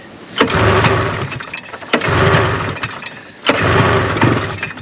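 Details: 1974 Arctic Cat Lynx 340 fan-cooled snowmobile sat five years, cold snowy day, pull-started on brake cleaner with choke: three pulls about 1.5 seconds apart, each catching in a short ragged sputter that dies; brief firing only on the spray.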